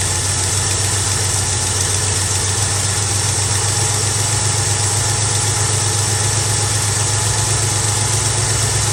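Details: Carbureted Mustang V8, cold start after replacing the spark plug wire that was arcing: settles into a steady, even idle with no stumble or miss; runs better, normal idle.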